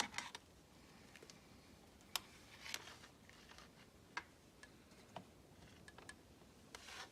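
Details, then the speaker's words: 1992 Range Rover LSE V8, ignition on, compressor relay pins 30 and 87 jumped under the hood: only faint valve block clicks, no motor hum; air suspension compressor itself does not start, something wrong with it, power at compressor to be checked next. "I had the valve block click but actually the air compressor itself did not start so that pretty much means that there's something really wrong with the air compressor"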